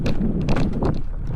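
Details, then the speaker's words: Fiido T1 Pro e-bike ridden off-road over roots: sharp clattering slaps over heavy wind rumble from the rear derailleur (shifter) banging around. "see that was that back shifter slapping around"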